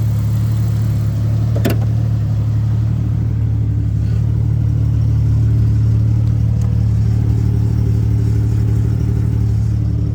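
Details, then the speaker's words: 1997 Jeep Grand Cherokee ZJ, engine said to run really good, at idle: steady low idle with a faint loose metallic clatter; owner thinks the exhaust, fitted with a cherry bomb muffler, has a rattle, not confirmed. "Sounds like the exhaust has a rattle. It's got that stupid cherry bomb on it that I don't like."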